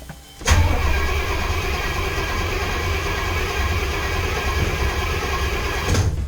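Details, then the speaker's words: 1975 Pontiac Firebird V8, 2-barrel carb, starting on new ignition cylinder with starter fluid after hot-wired 2000-mile drive: fires at once into steady even idle rumble, over 60 psi oil pressure; healthy start, may need tuning. "See if she'll fire up. Like brand new. Look at that. Over 60 pounds of oil pressure."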